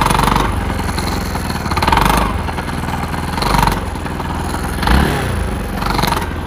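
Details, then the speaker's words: Bajaj Pulsar NS 200 motorcycle, new carburetor fitted two days ago overflowing fuel; rough uneven idle with heavy chugging knock and surges, rides like a water-pump engine: engine knocking from seized-engine internal damage needing rebuild. "মানে engine RPM ঘট ঘট ঘট ঘট ঘট ঘট sound করতেছে, আর bike চালালে তো মনে হয় যে শ্যালো মেশিন চালাচ্ছি, এই অবস্থা।"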